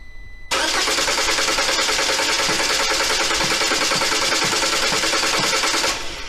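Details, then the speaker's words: Lada Granta FL after decarbonizing/decoking service: steady starter cranking, about three turns a second, engine not catching. The first attempt failed, so spark plugs were removed and cylinders blown out; the third attempt started and it runs fine. "première tentative n'a pas commencé dévissé les bougies a soufflé les pétitionnaires en versant ils ont tourné et c'est trois fois"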